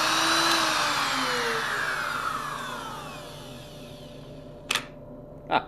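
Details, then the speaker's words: Vintage Powr-Kraft 8542A router, about 50 years old, after rebuild with new bearings: motor spins down smoothly with an even falling whine, no rattle or grind; runs normally. "it is so much nicer and smoother than the modern stuff which is really what I found and it's why I run so much of th"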